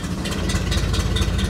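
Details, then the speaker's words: 1960 Chevrolet Impala after sitting 30+ years and a 2,500-mile drive, carburetor already rebuilt twice: low, uneven lumpy idle with stumbles, nearly dies and shakes in gear; owner plans to check points dwell and timing. "put it in gear dies at idle almost shakes a lot it's idling crappy"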